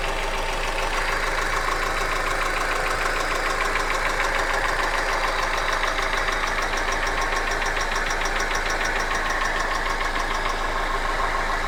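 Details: Hyundai Accent engine at steady idle with a fast, fairly even tapping about three knocks a second; an internal knock, cause not confirmed.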